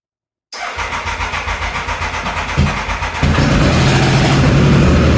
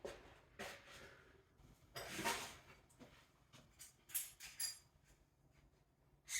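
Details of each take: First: Triumph Thunderbird, first run after sprag clutch repair, on choke at about 45–50°F: fires cleanly, settles into an even idle, then revs smoothly with no knocks or misses. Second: Triumph Thunderbird, bought as a non-runner, first start attempt after sprag clutch repair, about 45–50°F, no coolant: a few clicks, then the starter churns about three beats a second for three seconds with no firing; cranks, won't start.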